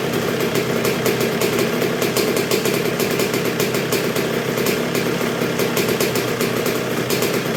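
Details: 1986 Honda CR125R two-stroke, not yet fully broken in after a new .060-over Wiseco piston top end: crisp, evenly spaced popping at a low, steady idle that never stumbles or dies; healthy normal low idle.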